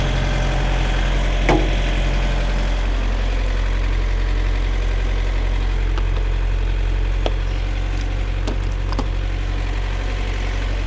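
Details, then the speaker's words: Truck reefer unit diesel after owner replaced its failed starter, started to pre-cool for a minus-10 load: firm, even rumble at steady idle with no misses or knocking; running smoothly. "So, the unit should be starting any second now. There it is, y'all. That was the culprit right there."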